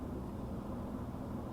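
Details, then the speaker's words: HP ProLiant DL380 G7 server, 24 GB RAM, no expansion cards, power saving mode, fans around 13%: soft steady whoosh with low hum, no ticking or surging, like a desktop computer; normal fan idle. "is literally about the same sort of noise a little desktop computer"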